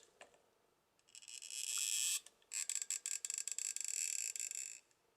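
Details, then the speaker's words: Flysky FS-GT3C RC transmitter after use in wet weather: high, thin squeaking each time the steering wheel turns, from a dry stop rubbing on the rocker arm. "такая нас проблемка с такой аппаратурой поездили во влажную погоду и скрип привилась"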